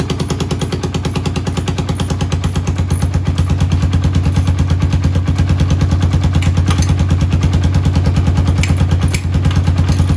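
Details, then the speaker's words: 1991 Honda TRX250X quad barn find, motor rebuilt and timed, carburetor refitted, fresh fuel, exhaust leak mostly fixed: even single-cylinder thump, about three beats a second, steady low exhaust note, no knocks or clatter; healthy idle. "all right guys well there you have it this thing runs barn fine and yet again another one we've drug in the garage and checked out the whatchamacallits and the thingamabobs and got her running"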